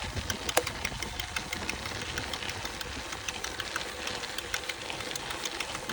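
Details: FAZUA Ride 60 mid-drive on a Canyon Roadlite:ONfly 5 after about 450–500 km: sharp, irregular clicks over a light motor whir, intermittent while pedaling, with no error codes; cause unknown.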